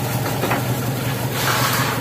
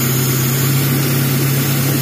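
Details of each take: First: Taruna EFI petrol engine before a tune-up, idling unevenly with a stumbling low beat; the car came in hesitating and lacking power, with zero trouble codes. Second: Suzuki Taruna EFI that came in misfiring and lacking power, no DTCs, idling steadily and lightly with an even low hum and no knocks or misses while idle is adjusted during tune-up; smooth idle.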